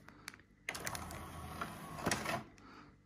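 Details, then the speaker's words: Technics CD player after fitting a replacement laser pickup from an SL-P999 with grounding wire and metal sub-chassis; short whir with soft ticking as the disc spins up and is read immediately, 20 tracks: normal disc spin-up and read. "Spun the disc immediately and reads it immediately."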